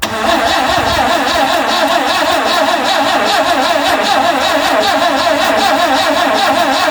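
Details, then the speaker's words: 1974 Vauxhall Magnum, garage find unstarted for 37 years, fuel squirted in and throttle butterfly possibly stuck: steady rhythmic cranking for several seconds, never catches; crank, no start, battery suspected weak. "No. Not having it just yet. Right, let's try that again."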